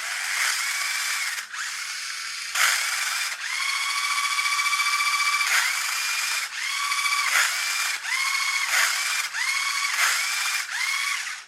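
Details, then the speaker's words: Chicco Jimmy Thunder toy RC car converted to hobby grade: bursts of rapid high-pitched clicking cut into the motor whine under load; owner suspects the gearbox slips or comes out of alignment, cause unfound (gear ratcheting). "some resistance on it something is slipping in there and I cannot figure out what it's almost as if that's coming out of alignment somehow"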